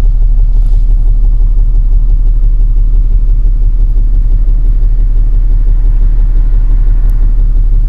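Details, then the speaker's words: Toyota Land Cruiser diesel idling low, about 300–400 rpm instead of a normal 800–1000, rough with a lumpy pulse about three times a second; shaking felt through the door; owner complains of vibration or a possible misfire. "kalau saya pegang di pintu memang ada gegaran"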